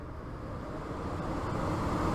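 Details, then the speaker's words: ECM 3.0 variable-speed blower motor tested without TecMate Pro, 24 volts to RX and common on green to C: steady airy whoosh building gently and holding even, no pulsing up and down; motor operating correctly. "so everything is working correctly so as long as the variable speed blower motor turns on it doesn't pulse up and down up and down and it's speed then the variable speed blower motor is operating correctly"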